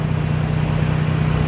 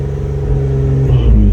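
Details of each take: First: Dodge Journey petrol engine at idle after reconnecting the battery negative during an alternator test, charging voltage up to 14 from 13: steady low idle with even pulse, no surging or hunting; smooth normal idle. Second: Dodge Journey (tuned), traction control off and unresponsive: engine won't rev past 3,000 rpm, no power at all, not normal for this car; deep rumble wavering and labouring as revs climb, rough running near stalling.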